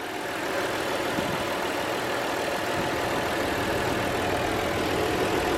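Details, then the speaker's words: 1998 Audi A4 from a salvage auction, low on fuel, no check-engine light; even, steady idle with a soft low hum and no knocks, misses or hunting, normal idle. "And I don't see any warning signs like check engine or whatnot. It's idling pretty good."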